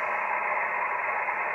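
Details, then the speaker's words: ICOM IC-751A transceiver: an 11 MHz RF generator signal injected near the antenna input gives a harsh rushing hiss with no clean carrier tone. Still distorted. "we'll go up to eleven megahertz frequency generator on and we're still distorted so it's not a problem with the pol"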